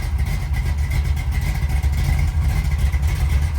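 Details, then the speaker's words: 1972 big-block short-bed truck, Black Cherry, running. Deep, steady V8 rumble with slight rises in revs, smooth and even; normal V8 running. "That is a great sound. Black Cherry 72. Woo. She sounds good."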